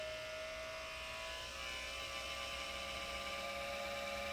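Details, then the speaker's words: ASUS GL504G laptop cooling fan; quiet high-pitched whine rising in pitch and loudness as fan speeds up, then fan randomly stops and restarts repeatedly. Noisy cooling fan. "so when it spins faster and faster it'll get noisy and then the fan will just stop spinning and then it will start again"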